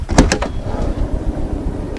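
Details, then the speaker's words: Van sliding door after its rails were cleaned with WD-40 precision electrical cleaner and lubricated with platinum grease to cure a harsh squeal: a couple of soft clunks, then a smooth low roll along the track with no squeal. "如此的丝滑。咱们再听一下这边啊，还好，但这说明不了什么，说明它今天还算干净。"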